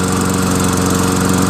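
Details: Toro Recycler 22-inch self-propelled mower, 6.5 HP Tecumseh, after clearing oil from a hydrolocked cylinder, carb clean with new needle, gasket, bowl, float and bowl nut, and fresh gas: loud, steady, fast single-cylinder beat with no misses or surging. Runs healthy.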